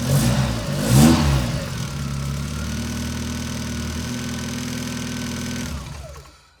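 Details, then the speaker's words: NA Mazda Miata engine with hydraulic lash adjusters, cold start after oil drained down: brief rev, high-pitched lifter tick clatter that quiets after a few seconds, then steady idle before shutting off. "So let me start this up. You should hear the tick, tick, tick, tick, tick. The engine is cold, all the oil has drained down."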